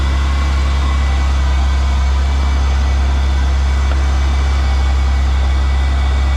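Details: GM 3800 V6 just started after alternator replacement (battery light had been on while driving), checked for 14-volt charging: steady, even low idle rumble with no knocks, ticks or squeals; normal idle.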